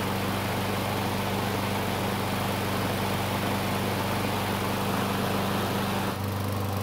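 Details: Craftsman mower with Briggs engine that stopped when hot, after a carburetor replacement, on a test start with a small amount of fuel: a steady, even low drone with no misses or surging; the engine runs cleanly.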